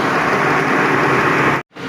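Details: Lexus RX330 after throttle body replacement (previously high RPM, rough idle, stalling): steady even hiss and hum, idle settled around 1000 RPM with no hunting or surging; stable, healthy idle.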